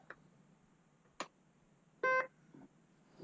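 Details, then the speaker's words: VTech VideoPainter drawing tablet on a 12 V adapter switched on: a few short chirps, then a clear steady beep in a quiet room; normal power-on beeps showing the tablet works. "you can hear all those beeping noises that's letting you know that the tablet's working"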